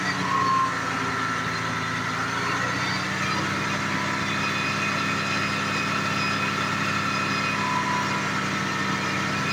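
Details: 1986 Jaguar XJ6, sat two years, after replacing a low-pressure fuel pump: engine catches and holds a smooth, steady idle with even hum, no misses or surging; normal idle.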